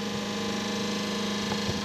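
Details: Schenker Zen100 solar-powered watermaker, first test, running at 7–8 bar: even steady electric hum with constant low tone, no rattling or surging; high-pressure pump running normally without cavitation.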